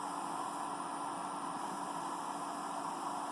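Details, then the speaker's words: Computer power supply switched on: thin, steady whine over fan-like hiss, one of its copper coils vibrating (coil whine); an earlier fix failed, next attempt is insulating hot glue. "so that sound is actually one of the copper coils in this power supply doing that vibrating"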